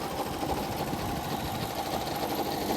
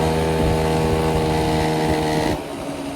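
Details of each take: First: 1983 Honda Aero 50 scooter, two-stroke, just running again mid-restoration: fast, uneven tinny rattle over a buzzy idle; head or head studs suspected, but the studs feel tight, cause unconfirmed. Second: 1983 Honda Aero 50 two-stroke scooter at about 4,393 miles, test ride after repair and transmission oil change; steady buzzing note easing as throttle closes, no knocking; a minor noise possibly from the CVT cover noted.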